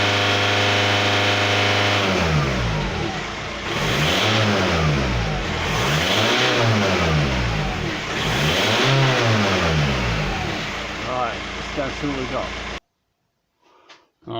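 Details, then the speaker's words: 2007 VW Touran diesel smoking at the EGR/front exhaust: three slow revs over idle with a strained, muffled exhaust note; about 300 mbar back pressure at 2500–3000 rpm suggests a blocked DPF, though sensor readings leave doubt. "now to me it sounds like it is blocked um and on the manometer with the 100 million 300 millibar pressure at two and a half three thousand rpm that is that's too high"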